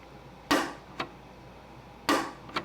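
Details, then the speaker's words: Harley XLCH Ironhead Sportster clutch released by hand, cut-away primary cover: sharp clunk then lighter click, twice in three seconds, as the release ramp ball pops back into its detent instead of riding up the ramp; clutch release ramp hitch. "let's take a look at what this clutch does when you try to release it you hear that"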